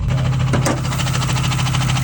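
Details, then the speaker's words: Ford Crown Victoria ex-police car V8 with rapid, regular sharp knocking at roughly six to seven raps a second over the idle rumble, right after it smoked heavily; owner feared it would throw a rod and says he blew it up: serious engine knock. "oh yeah I definitely blew it up I can just feel it dude"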